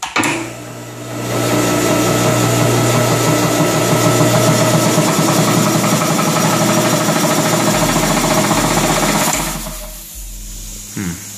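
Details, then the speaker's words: 60 gallon Kobalt air compressor after replacing its pressure switch, which had cut off before reaching set pressure: loud steady motor drone with fast, even pumping chatter about four beats a second, building pressure smoothly; running normally. "crank it up and we'll see if it obtain pressure and make sure that we don't have any leaks"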